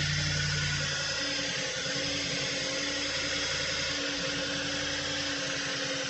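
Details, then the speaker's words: Audi B8 S5 first start after carbon cleaning: low, uneven idle thump with stumbles easing as it settles; misfires from empty fuel rails clearing as pressure builds. "Got a lot of misfires. That's normal. The fuel rails are empty. There we go. That's what I'm looking for, the misfires clearing."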